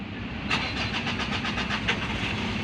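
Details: Mitsubishi Montero with check engine light on, dies while driving: starter cranks in fast regular bursts for a couple of seconds without catching; hard starting, cause unconfirmed.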